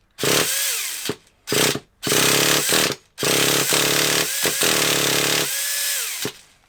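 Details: Traxxas Revo 3.3 nitro RC car, cold (about 2°C outside, started indoors): repeated pull-start bursts, engine catches briefly and dies; fuel smell, trying to burn; owner thinks it needs heat.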